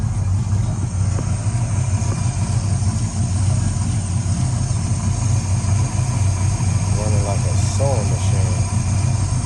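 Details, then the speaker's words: Old Chevrolet box V8 during a tune-up, cranked first go: a deep, steady idle with an even low rumble and no misses or knocks; sounds good. "Sound good, old Chevrolet there."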